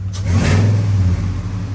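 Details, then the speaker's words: 2002 Ford F-150 Harley-Davidson edition supercharged, still cold, after installing cold air intake: short smooth light rev climbing and dropping evenly over deep rumble, no tapping; healthy, though slightly rough at startup, possibly MAP sensor. "it's still cold so I'm not going to do any hard revving but I want to see if we can hear that supercharger in oh yeah oh she she's wonderful"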